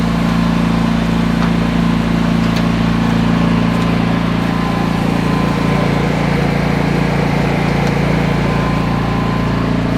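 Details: Standby generator outdoors at about 5 °C, running at full load with lid closed: steady even drone, low purr, no knocks or misses; healthy.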